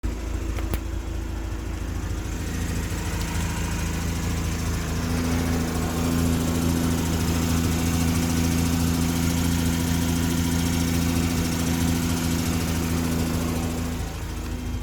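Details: Mazda RX-8 at idle: light steady ticking that builds slightly with revs; owner has ruled out SSV and spark plugs and plans to remove the exhaust manifold for inspection; source not yet found.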